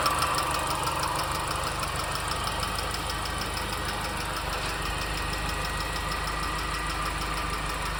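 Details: R53 MINI Cooper at steady idle: light, fast ticking roughly three per second from the engine; source unknown.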